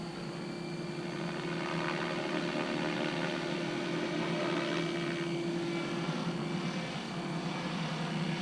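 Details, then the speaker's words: Goblin 500 RC helicopter maiden flight: steady rotor whine with rough uneven chatter pulsing through it; main blades seriously out of balance, survivors of two crashes; pilot first suspected a bad tail blade. "i hear that same chatter in the uh going that way as well it's nice"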